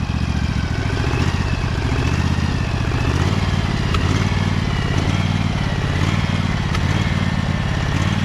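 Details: Husqvarna 2346XLS lawn tractor with the PTO engaged, after rust-bound brake and gas pedals were freed with lubricant: steady single-cylinder chug with a firm, even beat and no knocks or belt squeal; normal running.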